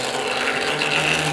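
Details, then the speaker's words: 1973 Hornby/Tri-ang model train locomotive bogie: steady gritty rasp with even gear whirr, amplified by hollow body, no knocks or catches; noisy but running fine, noise decreases at higher speed. "Now you're going to hear this, but believe me, there's nothing wrong with it. It's typical again of this bogie, and the noise of it being amplified by the hollow body. As you can see, it's running perfectly alright, it just sounds like a bag of nails."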